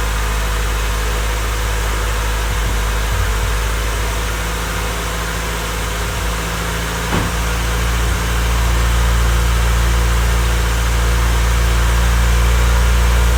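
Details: Honda Civic freshly rebuilt D16Y8 engine, first start-up, idling before any revs: steady, even low hum that firms up a little as it warms, no knocking underneath; sounds nice and smooth. Normal idle.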